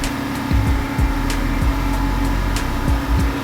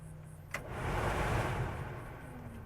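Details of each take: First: 1989 Chevrolet R3500 dually, R134a AC retrofit, engine at 1500 rpm as first can of refrigerant goes in: steady loud drone with compressor hum and early clunks; loud compressor, relief valve later vented. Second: 1989 Chevrolet R3500 square-body dually, AC R134a retrofit: a click, then a soft rush of air settling to an even low hum; the heater/AC blower motor runs normally on low, though its third speed is missing.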